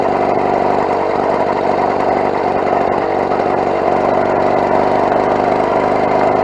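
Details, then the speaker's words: Mk4 carbureted bike at a roadside stop, engine hot: quick, ragged popping chuff over steady idle, about three puffs a second; completely blown exhaust gasket leaking at the port, to be patched with sealant. "all right so quick stop by the side of the road I have completely destroyed that exhaust gasket"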